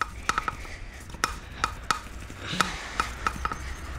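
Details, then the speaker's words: Hand valve lapping after reaming the valve seat at 15 and 45 degrees, with fresh lapping paste and a suction-cup tool: irregular gritty scrapes and sharp ticks about once a second as the valve is turned by hand. Normal lapping. "Et là, tu repars. T'entends le bruit là? On a déjà remis dessus un petit peu de matière."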